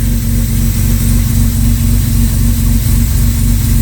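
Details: Jaguar Series 1 XJ6 first started after 21 years, cold start with choke wires reconnected, after earlier carb flooding with fuel suspected in the oil: steady low chug about four pulses a second, slightly lumpy rough idle, cause not yet clear.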